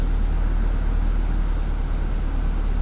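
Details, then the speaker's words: Nissan 200SX salvage car idling with air conditioning on, which previously made the idle much worse; low steady idle holds even, no hunting or stumbling, AC blowing cold; normal idle with AC load. "let's turn on the air conditioning just to really piss it off when you turned on the ac before it made it bad like it really got bad with the air on and the air does work"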